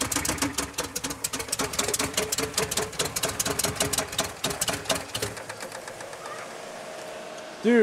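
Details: Toyota 4x4 22R engine started after throwing a connecting rod out of the side of the block following a mud event; a fast, heavy metallic hammering clatter on every turn, sparks flying off the crankshaft, then the engine dies.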